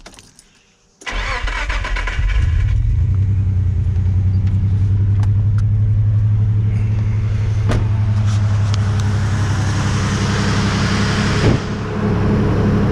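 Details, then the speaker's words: Nissan Navara VG30 hurt by too much boost and timing; cylinder one has 85% leakage, suspected broken ring or ring land. Uneven crank, then a lumpy idle popping on five cylinders; it runs on six above 2000 rpm. Dead cylinder misfire. "you can hear a pop every out again to keep you on pop pop pop pop pop and that's that number one cylinder trying to fire not firing just missing in general"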